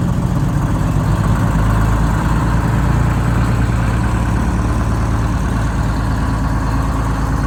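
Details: Rebuilt bus diesel after fuel-system fix, HV7 injectors fitted, cold start (20°F overnight, about 42°F morning) with no ether or block warmer; deep, steady rumble, even firing, no knocks or misses. Healthy idle.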